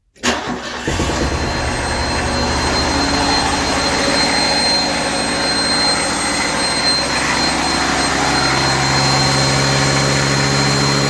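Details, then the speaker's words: Refurbished truck just started, coolant not yet filled; cranks, catches and settles into uneven, lumpy idle with wavering beat, smoke and much liquid coming out, no ticking. "yeah I'm not liking the sound of that oh smoking yeah that's not good no ticking"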